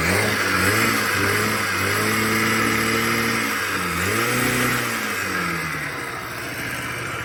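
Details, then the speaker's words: Honda Spree two-stroke scooter (1986 frame, 1985 motor, 1987 head) after replacing its plugged muffler with a known good one, known good carb. Revs up and drops back with a crisp, even buzz, returning smoothly to idle; fixed. "i put a known good muffler on there known good carb and everything's back working again"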